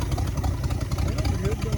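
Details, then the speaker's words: 1966 Buick Sport Wagon V8, dead cold engine, idle turned up slightly, after ignition rehooked: deep, even low rumble with steady pulses, no knocks or ticks, running on all eight with oil to all pushrods; normal idle. "wow listen to that that is all eight baby that is all eight and we got oil all the push rods are"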